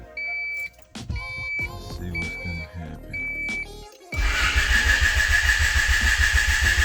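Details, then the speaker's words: Honda Accord CB7 with swapped JDM F23A VTEC engine, no radiator fitted, brief three-to-five-second start attempt: starter cranks at even quick beat but never fires; crank no start, found not distributor or crank position. "so i've been playing around with so much crap because i really started flipping out when this thing wouldn't start"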